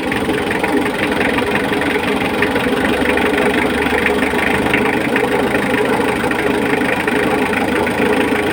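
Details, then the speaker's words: Mitsubishi L300 diesel at idle, heavy smoke: hard, sharp clatter on every firing, louder than normal diesel rattle; injection pump timing too far advanced, fix is loosening the pump bolts and rotating it back slightly. "start na sa ma fuel langan tsaka ano ang lakas ng fel lock niya Ayan oh marinig niyo naman eh grabe yung usok"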